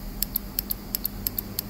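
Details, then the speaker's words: Mercedes GLC300 4-cylinder turbo crankcase ventilation valve tested on the bench: sharp paired clicks as it is energized on and off, the normal solenoid action. "it doesn't matter which direction as long as one negative one positive goes in there and when you touch it in there you see that there's a click click click"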